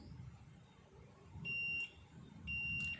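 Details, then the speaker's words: Refrigerator not cooling, with the compressor not running. Multimeter continuity test on the compressor overload protector gives two clear, steady high beeps about a second apart, so the overload part is still good. "ถ้าเกิดว่ามีเสียงอย่างนี้นะครับยังใช้ได้อยู่นะครับ"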